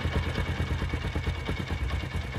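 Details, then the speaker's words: Honda CD70 single-cylinder motorcycle after repair: an even putter at about eight beats a second, with the earlier morning-start "dug dug" knock and rattling hiss now gone; smooth, healthy idle. "पहले आपने इसम देखा कितना डग duck का आवाज था अब बिल्कुल डग डक का आवाज भी खत्म हो गया और शरर का आवाज खत्म हो गया है"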